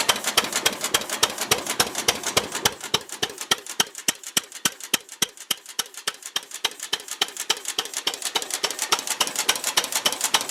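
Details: Ruston Hornsby PR, about 1926, horizontal single-cylinder petrol-paraffin stationary engine, on petrol after leaning the rich mixture, apparently first start in 5 or 6 years: crisp, steady firing beats near 105 a minute, no misses; normal idle.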